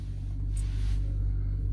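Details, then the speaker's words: 2006 BMW 325xi E90 with N52 engine, idling after erasing misfire codes (misfire and fuel-air faults; transmission, engine computer and crankshaft sensor previously replaced): steady, even low hum without stumbles, live data shows idle speed matching specified value. Normal idle. "this is idling data it can show you what the RPM engine ID is active idle speed specified value engine speed you know they all the same"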